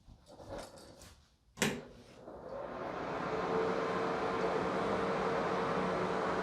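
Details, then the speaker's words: Bathroom exhaust fan after WD-40 was sprayed above the mount where the top plastic fan rubbed: a switch click, then a steady, even whir with the squeak gone. The fault was not the bottom motor bearing. "The squeaking is gone. So it wasn't the bearing on the bottom of the motor, it was up on the top with the plastic fan."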